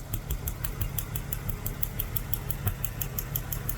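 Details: 1991 BMW 750iL V12 at idle: quick, light, evenly spaced ticks several times per second over a quiet, smooth idle.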